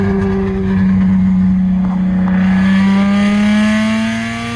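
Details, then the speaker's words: Lexus SC300 with a broken exhaust, rear section missing after welded pieces sagged when hot: loud raspy drone climbing steadily in pitch with revs during a pull, nothing muffling it. Straight-pipe exhaust. "but I guess enjoy this straight pipe pull for now, because it does sound fun. I wouldn't say good, but fun."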